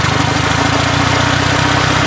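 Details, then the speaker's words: Honda Civic EJ1, high and rising idle, before adjustment: fast, steady even idle well above normal; over-tight throttle cable holding the throttle partly open, fixed by loosening it. "Throttle cable is too tight on here. See?"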